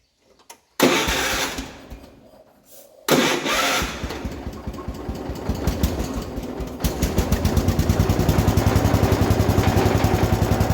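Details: 1967 Gravely 430 after rewiring the charging system: cranks briefly, catches on the second try, then settles into an even single-cylinder thump around three and a half beats a second; runs fine.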